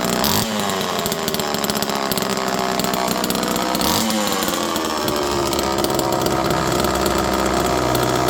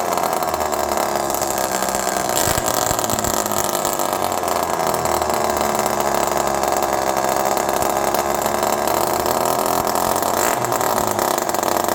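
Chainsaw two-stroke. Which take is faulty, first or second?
second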